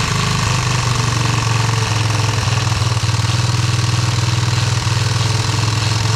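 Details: Yamaha motorcycle, first start after checking spark, compression and fuel and installing a new carburetor: engine catches and settles into a steady, even low thump at idle with no misses, knocks or rattles.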